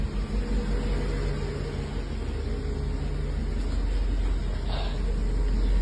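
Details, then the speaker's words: 1984 Mercedes 380SL idling after replacing the 40-year-old engine control unit, which fixed its rough idle and black smoke: steady, even low hum, no misses, only slight exhaust discharge at startup. "so just a tiny bit of discharge when I first started the car up no black smoke [Music] reverse neutral Drive yep just a little bit of discharge"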